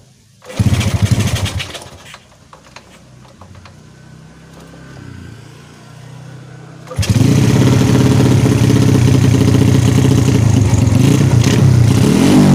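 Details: Yamaha Jupiter Z motorcycle after repairing lost ignition, CDI wired directly to 12 volts through the kiprok, freshly filled with oil: engine catches after a short crank, revs, dips, then settles into a loud, steady, even run; normal running.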